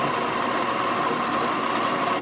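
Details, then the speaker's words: Baratza Vario grinder after recalibration (it had only been grinding fine), set to espresso: a steady motor whir that drags down slightly as fine coffee feeds through the burrs, then cuts off. Normal grinding under load. "And now we're gonna go for espresso. So you can hear the motor slowing down."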